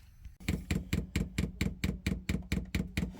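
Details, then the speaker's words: Chinese diesel air heater being fitted on a narrowboat, dosing pump priming with diesel through pipes still full of air: sharp, even clicks about twice a second with a dull thump under each. This is normal priming. "now you can hear it priming it's priming again still priming up the pipes"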